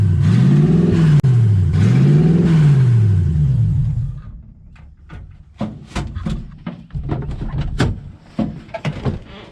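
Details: Toyota 1UZ V8 in a Ford Falcon, warm (about 160° on the gauge): idle climbs and drops in a steady surge about every second and a half; idle hunting.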